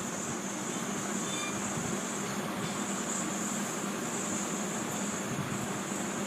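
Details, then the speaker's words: Large gas stove burner gives a steady, even hiss with a thin high whistle but no pop of a flame catching after three or four tries; gas comes out but does not reach the burner, so it fails to ignite. "Gas on करने पर gas निकल रहा है लेकिन या burner तक पहुंच नहीं पा रहा है जिसके कारण हमारा गैस जो है या चल नहीं पा रहा है"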